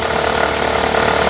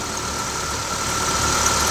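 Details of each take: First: Honda Civic 1.8 16v automatic, on early cold starts: rapid metallic hammering at idle in Drive, fading with slight throttle and vanishing in neutral; a worn hydraulic accessory belt tensioner slapping around. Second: Honda Civic 1.8 16v after replacing the accessory belt tensioner and belt, which caused a knocking noise on first starts: shifted into drive and reverse, even idle with faint whine and no knocking. Normal idle after repair.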